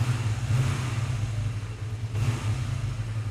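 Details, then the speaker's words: Used motorbike long stored in a showroom, throttle blipped: clean, even pickup over a steady low rumble with no knocks or rattles and no exhaust smoke; sounds healthy. "this one's been standing here in the showroom for ages it really does seem sound this does and the pickup's very smooth as well"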